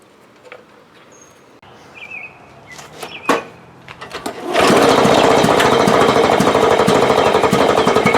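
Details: Lawn Boy mower that had no spark, after replacing the failed ignition coil: fires up after handling noise and settles into a steady, even, quick beat, running cleanly; normal running.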